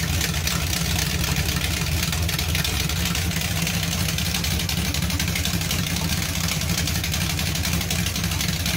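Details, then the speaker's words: 383 V8 Mopar Charger with whiplash cam and small-valve 5/16 heads at idle: loud lumpy idle with raspy exhaust puffing; cam lope audible over an exhaust leak. "that sounds a lot better you can actually hear the cam over the exhaust leak"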